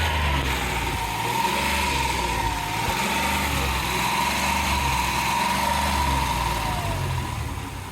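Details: Uneven, loping idle with stumbles and faint whine from a Dodge 3.3 misfiring on cylinders 3 and 6; scan showed an open ignition coil circuit from a burned-out coil.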